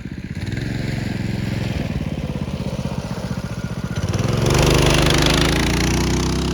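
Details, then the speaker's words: Mini bike with small single-cylinder engine after fitting a torque converter (CVT) kit in place of the rattling clutch and jackshaft chain: even chugging, then smooth revving with no chain or clutch clatter; quieter, healthy drive. "Sounds much better, doesn't it? Quieter, faster."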